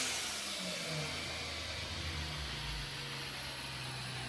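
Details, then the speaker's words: Honda S2000 fitted with a brand-new OEM Honda short block and new cylinder head after the original engine seized: clean rev falling smoothly to a steady, even idle with no knocks or ticks; healthy engine. "we let it idle down listen to it kind of a long day but it's good that it sounds nice now listen to that that's beautiful"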